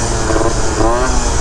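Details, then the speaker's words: Piaggio Typhoon two-stroke scooter after a carburetor upgrade and new spark plug, cruising while still cold (under 200 degrees, about 170): steady, even drone with no bogging, popping or hesitation; carburetion sounds right, normal running. "it feels good right now, the carb. As you can hear, the carb feels really good."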